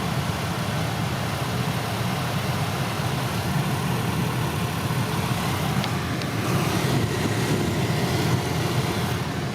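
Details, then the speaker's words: 1999 Toyota Corolla with idling engine, after replacing noisy heater/AC blower motor with aftermarket unit, on high speed: steady even fan rush, no squeal, rattle or ticking; normal blower motor operation. "High speed. Yep. Perfect. No more sounds."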